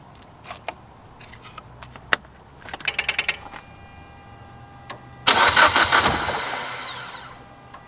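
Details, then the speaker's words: Car on freshly charged battery that cranks by itself when reconnected with key off: brief crank catches a split second then dies at once; owner suspects a vacuum leak, cause unclear. "you guys can see it tries to start it dies right away not sure it's the vacuum leak um it seems to crank that's good"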